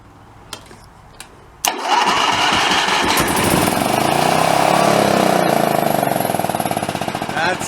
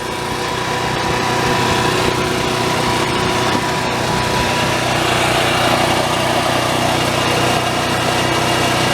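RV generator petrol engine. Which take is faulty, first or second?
first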